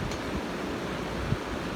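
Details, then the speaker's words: Pedestal fan after repair (disassembled and oiled because it spun slowly or barely at setting three): on speed three, steady airy whoosh over a low even hum, no ticking, rubbing or grinding, oscillating; motor runs smoothly. "and it works fine but looks of things let's turn to three it goes faster it's rotating or oscillating side to side"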